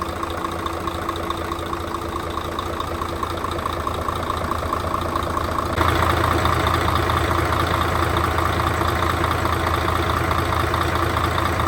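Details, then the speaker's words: Mercedes Actros truck with an OM501 diesel after cylinder-head repair for sunken intake valves and valve adjustment, first start: steady, even idle with a smooth regular beat and no knocks, misses or rattles; running healthy. "Vâng, có vẻ như nó đang hoạt động, vâng."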